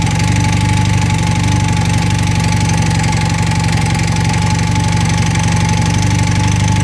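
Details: 1980 Honda CM400T twin at idle: steady idle with a light, fairly quick knocking on top at about four per second; something loose, source unclear.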